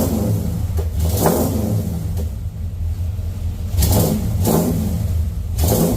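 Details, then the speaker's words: 1989 Dodge D100 with 318 V8, new headers and Borla exhaust: deep rumble swells with each throttle blip, rough popping as revs fall, then it stalled; backfiring on revving, owner guesses it is not yet tuned up. "I don't know why it's got that weird little backfire sound to it when I rev it up, but I'm gonna guess that's because I don't have the truck completely tuned up yet."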